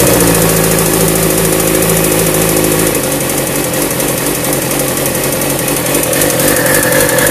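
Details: Warm 2002 Suzuki GSX-R 750 K2 with about 13,000 on the odometer, ticking above 120°F, idling and revving: a light, uneven tick over the inline-four; owner suspects the unreplaced cam chain tensioner or a spun bearing.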